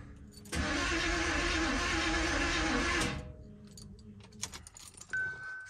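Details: Box Chevy with new battery: starter spins steadily about two and a half seconds, engine never catches; cranks but won't start, owner thinks ignition timing is off and plans to reset the distributor.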